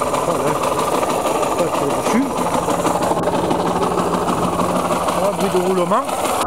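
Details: KMX two-stroke motorcycle engine, before restoration: running fast with a steady whirring hum and rough mechanical rattle over the exhaust; bearing noise suspected, not confirmed.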